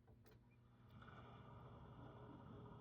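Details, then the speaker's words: Grundfos cast-iron circulator on hot water loop off steam boiler, lowest of 3 speeds, microphone held right on pump, switched off then on: faint even whir rising as it comes up to speed, no knocking; normal. "It's got 3 speeds. Hear how quiet. You can barely hear it."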